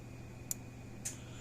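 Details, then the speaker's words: Power Wizard PW500 fence charger (about half-joule output) on the bench: faint crisp clicks about half a second apart, healthy normal pulsing; a discharge problem was suspected somewhere at the board, and it outputs just over 7000 volts after repair. "but it sounds healthy it's clicking like it's supposed to these aren't very loud used to start with"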